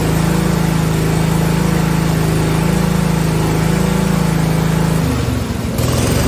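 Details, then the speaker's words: 1971 John Deere 110 engine after conversion from magneto/solid-state to battery ignition, original points and condenser kept; started easier, possibly cold. Holds high steady speed without stumbling, drops back cleanly: normal throttle response, major improvement over before. "that's a major Improvement I will say that it would not go like that before"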